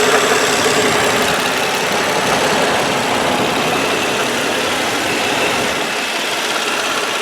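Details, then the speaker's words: 2003 Nissan Maxima GLE, 3.5 L V6, microphone close to engine under open hood at idle: quiet, steady hum with even fan hiss, no ticks or knocks; normal healthy idle. "all right all right as you can hear pretty quiet motor it's a good running car"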